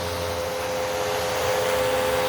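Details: Curb-found Bissell PowerClean vacuum with clogged filters and a suspected worn belt, hose suction test: a steady motor roar whose constant whine holds pitch when the hose is blocked; suction is normal.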